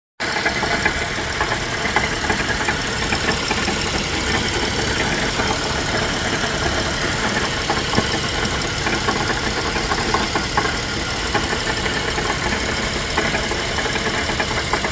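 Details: GMC Acadia engine with a fast, steady knocking tap throughout; the noise appeared suddenly minutes after driving well. Owner wonders if the catalytic converter broke apart; cause undetermined, in the shop for diagnosis.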